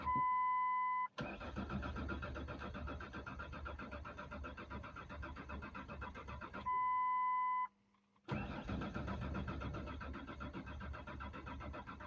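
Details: Mazda B4000 that has sat too long, owner suspecting a returning ground fault: warning chimes between two long cranking bursts, the starter turning evenly, but the engine never catches. Crank, no start; cause not confirmed.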